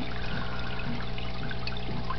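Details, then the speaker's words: Desktop aquaponics, two tanks, two grow beds, one pump: steady trickling and gurgling as the grow bed empties through the bell siphon; tank water levels uneven. "and as you can see it's still draining out and you hear the gurgling but as you can see the water levels aren't the same height anymore"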